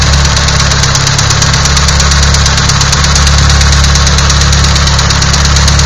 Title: sr20det knocking sound